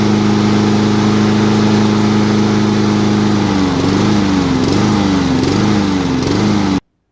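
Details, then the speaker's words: Nearly new lawnmower, previously a no-start with good spark and compression, carburetor soaked and about 70–75% cleaned: steady drone, then speed hunts about once a second before dying. It runs at half choke; fuel starvation suspected. "the thing still does not run correctly. The fact that it'll run at half choke indicates to me that it's still not getting fuel."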